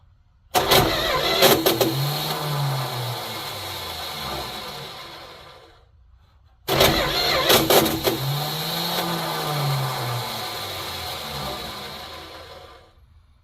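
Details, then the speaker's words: Neglected 1972 Plymouth Fury I: two five-second cranking bursts with a wavering starter whine and a rough grinding edge, no firing; owner doubts there is spark and suspects the starter is junk. "Well, that's a major bummer. Wonder if we're even getting spark. Doesn't seem like it, but [Music] 3 hours [Music] later. I think that starter is junk."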